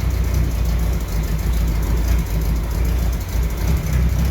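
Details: 1968 M151A1 military jeep on a lift, idling; it still needs a fuel pump and carburettor rebuild: deep, even low rumble with a steady idle beat and no knocks or misses; running smoothly.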